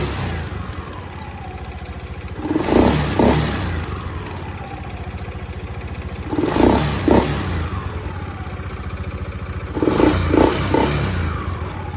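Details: Honda Scoopy-i scooter after replacing the ECU, which had hesitated and ticked on acceleration: idles steadily, then four quick clean throttle blips each winding down smoothly to idle; normal idle and revving restored.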